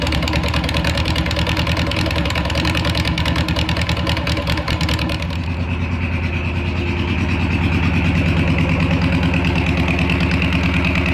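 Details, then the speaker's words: VW Beetle air-cooled engine in its new home, after fuel system redo and slight timing adjustment: cranks, fires quickly and settles into a steady, even, clean idle; running properly. "all right so we got it fired up um you're probably thinking wow that fired up really fast"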